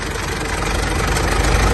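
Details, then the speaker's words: Mitsubishi L200 Triton 3.2 diesel idling after start, before teardown: fast, light metallic clatter over the low rumble from the timing chain, confirmed chain failure; fixed by replacing with a semi-new original kit. "aí pessoal olha o barulho dela como que tá pode ver que tá bastante morrido esse ruído é proveniente da corrente de comando dela falei para você ver tanto que tá batendo"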